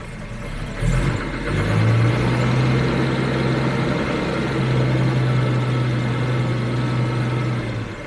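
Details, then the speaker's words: 1966 Jaguar S-type 3.8 on a cold day, after the cold start enrichment switches off: deep, slow, slightly loping idle holding steady but a touch low; low cold idle. "I mean it still wants to idle a little bit of a low idle"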